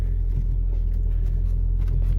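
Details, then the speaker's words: 1999–2007 Ford Focus: heavy, droning low rumble through the cabin with no knocks, from engine vibration because the engine mounts are pretty much gone. "so that's nothing by vibration from the engine because the engine supports are pretty much gone"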